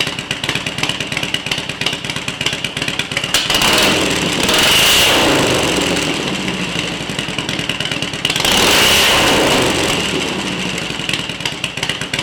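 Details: Harley-Davidson EVO V-twin after EFI-to-carburetor conversion, test run: idling with two clean rev swells around four and nine seconds, picking up and dropping back smoothly; running properly.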